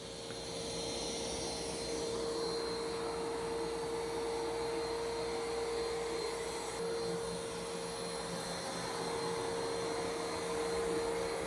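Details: New iRobot Roomba Plus 515 vacuum-mop combo cleaning a messy floor in back-and-forth straight lines, first of two passes: smooth steady whir, constant mid-pitch motor and brush hum, no rattles or grinding; normal.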